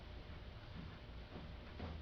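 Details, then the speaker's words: 1996–2000 Honda Civic at idle: low, even engine rumble with no hood rattle, a properly adjusted hood for comparison with the rattle heard at stoplights. "see how there's no PL in the hood so when you at a stoplight it'll sound good"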